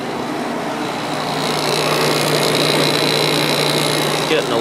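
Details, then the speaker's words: Fedders 7500 BTU window air conditioner on low, just after compressor start: a steady low hum that gets a bit louder at first, then settles. It is quieter than the other unit despite a condenser coil that was fully dust-blocked when acquired; healthy. "louder right now but that does go away after a while and I'm honestly surprised that the compressor isn't louder on this one"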